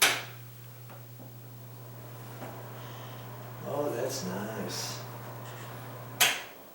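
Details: Bathroom exhaust fan with newly installed motor after rat-nest removal, switched on: steady low hum at even pitch, no rattle or scraping under handling noise; motor runs smoothly, though the damper flap didn't seem to move.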